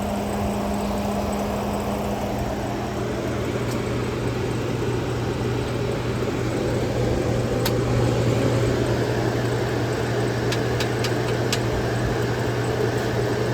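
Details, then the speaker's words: 1959 Welbilt Wall-Slim 2-horsepower heat pump, sat 15 years, running with front panel and case off, coil iced at startup: a steady low compressor hum under an even rush of fan air, no rattles or grinding; normal, just loud without the case. "Yeah, I guarantee you with the front panel on and when it's in the case it would be much, much quieter."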